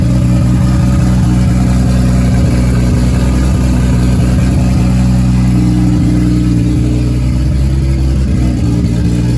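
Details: Nissan S14 240SX with freshly built 1.5JZ non-VVTi (272 cams, twin-scroll 6865 turbo, 2150cc injectors), first start: steady even low rumble at idle with slight lope, no knocks or ticks; runs fine.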